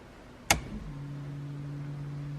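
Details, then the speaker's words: Nissan Skyline R32 GTR after push-button start install: ignition on, sharp relay click then even steady low hum as the fuel pump primes normally. "Fuel pump's on. Can hear that."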